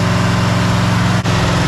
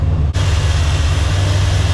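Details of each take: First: 1984 Chevy Silverado after swapping the 305 for a 350: deep, even V8 idle at about 12 degrees timing advance, steady with no misses. Earlier it died whenever it was idled down. Normal idle. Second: 1984 Chevy Silverado after a 305-to-350 swap: loud, steady deep rumble that won't idle down, idling too high with way too much advance. Intake gasket leak suspected, not confirmed. High idle.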